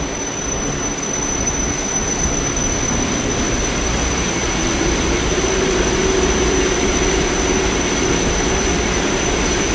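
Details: Haughton Type 601 DC gearless traction elevator machine, installed 1980s, 104 hp, 1200 FPM, very low RPM, recorded in machine room starting a run: even hum with clean tone climbing as it gains speed, no knocks or grinding; normal run.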